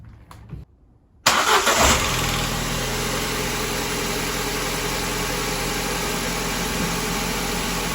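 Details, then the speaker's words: 2006 Ford Ka after cleaning and re-gapping spark plugs and checking leads: brief crank, then catches cleanly and settles into a steady, even idle with no misfire or knocking. Normal start and idle. "There we have it. Lives to fight another day."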